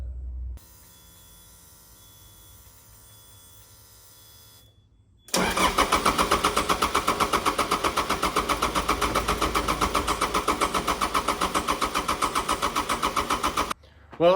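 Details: 2011 Cat 259B3 skid steer diesel with hard start/no start, cranked after a new glow plug and sleeve were fitted: steady starter cranking near four beats a second for eight seconds, never fires.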